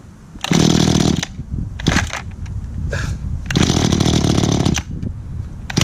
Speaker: it sounds like I need to do some adjustments on the carburetor on this one